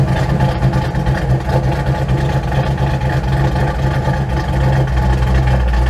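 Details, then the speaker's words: Dodge D100 V8 with Holley Sniper EFI after loading the stock-cam and acceleration-enrichment file: idle raised to 900 rpm, timing about 22°, about 14 in of vacuum; steady, smooth low rumble with no misses, knocks or hunting; healthy idle. "seems to help it's idling really well I bumped the idle up to 900 my timing at idle is about 22."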